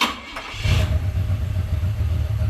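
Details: 1978 Cadillac DeVille V8, sitting 15+ years, earlier noted as knocking a little and smoking. A deep, even burble with no knock heard, sounding healthier.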